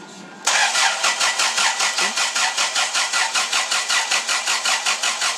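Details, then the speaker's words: Dodge Daytona IROC after an engine swap: steady starter cranking, about four even pulses a second, no firing at all; no-start because the Hall effect pickup sensor was left disconnected. "you might want to hook up the hall effect pickup sensors always something"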